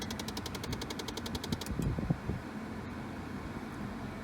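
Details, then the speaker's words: 2003 Pontiac Vibe just started and idling: a fast, even rattle of about nine beats a second from the ventilation, which cuts out abruptly when recirculate is switched, leaving a quiet fan hum; ventilation rattle. "you turn this little recirculate and it stops sounds fantastic though"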